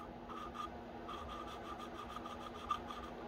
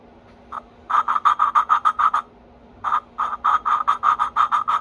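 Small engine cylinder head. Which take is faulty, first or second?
first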